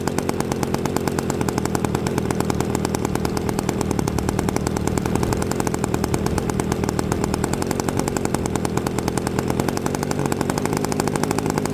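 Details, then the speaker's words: Quadra 50 gas engine in a Byron Christen Eagle RC model, first started with a starter after 25-30 years sitting and still tight. Quick, crisp, evenly spaced firing at a steady high rate with no misses; runs cleanly, slightly rich on the high end. "All right, she sounds pretty good. Just a hair. uh rich on the high end, but not too shabby."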